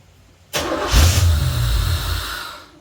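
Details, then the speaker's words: 1986 Chevrolet Corvette C4 Pace Car Edition that sat 14 years, cranked after fluid was sprayed into the throttle body; short crank, then it catches with a roar and dies within two seconds. Spark is present, but a fuel delivery problem is suspected. "All right, so we know we've got spark. We know we've got fire and juice."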